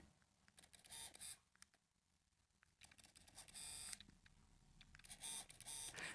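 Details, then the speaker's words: 7Artisans AF 35mm F1.4 Fuji X-mount lens autofocusing; short high-pitched buzzy bursts of about half a second in spurts, which the reviewer judges a micro motor that is a bit loud and buzzy. "That sounds like a micro motor to me. And so unfortunately it's a bit loud and it's a bit buzzy."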